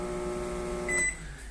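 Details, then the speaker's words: Microwave oven running a 1-minute cycle, heavy buzzy electrical hum around the magnetron with a keypad beep; a high-voltage part shorted, possibly the high-voltage capacitor, risking blown fuses. "Pegou esse sistema de forno funcionando, roncando, já pode passar pro cliente aí, né? O magnetrão. Vamos ligar pra vocês verem como é que ele ronca."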